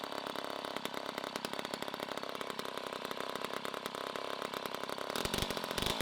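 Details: 1960s Homelite C-51/XL-12 vintage two-stroke chainsaw, revived, started with choke pulled out: loud, rough, rapid popping with a slightly soggy, uneven beat. The carburettor is running a little rich, and the owner says it may be low on fuel.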